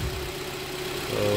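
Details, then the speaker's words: Kia Cerato 1.6 automatic after replacing the cracked flexplate; the knock was not from the engine. Warmed up and test-driven, it idles smoothly with no knock in reverse or drive. "сейчас я её прогреть всё машина работает прокатился всё в порядке шума нету"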